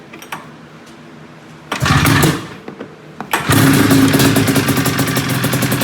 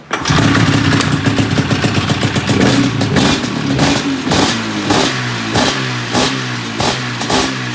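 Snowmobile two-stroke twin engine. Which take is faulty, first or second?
second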